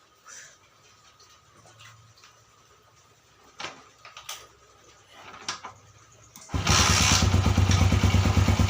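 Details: GL series motorcycle after repair of a damaged magneto spool, having had a diesel-like "glok glok" noise from the left magneto cover; a few quiet knocks, then it fires up and settles into a steady, even idle.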